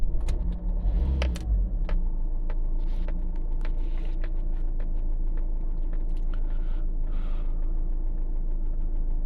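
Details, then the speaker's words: 2012 Fiat Doblo 1.3 JTD diesel restarted a couple of minutes after a 15-minute forced DPF regeneration, with new glow plugs and starter motor fitted. Brief cranking, then catches and settles into a steady even idle, no knocks or misses: normal start and idle. "It's been a couple of minutes since I turned it off. Let's start it again. Ignition key."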